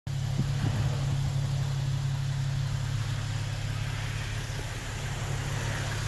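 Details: 2007 Toyota Tacoma TRD Sport 4.0 L 1GR-FE, 239,000 miles, idling with a light loose knock roughly four a second; owner believes piston slap, noise unchanged since 180,000 miles, unconfirmed.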